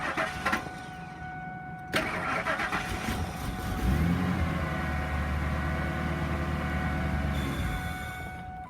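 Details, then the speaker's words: 2000 Ford F-350 XL dump truck, high mileage, possibly low on oil: starter whirs, engine catches and runs a few seconds on starting fluid with a low steady rumble, then dies; no knocking heard; apparently bad fuel pump, fuel delivery problem. "We'll put a little bit starting fluid in there. See what it does. There she goes. It'll only run for a second like that and shut off."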